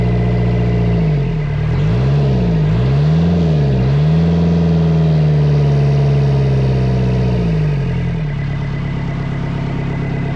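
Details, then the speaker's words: Kubota V2203 diesel from a reefer unit, destined for a 1959 Willys CJ5 swap: runs smooth and even with throttle swells, then shuts down cleanly, after bleeding air from the injector lines cured the misfire and the throttle concern. "hear how good that sounded. Uh, that actually solved my throttle concern also."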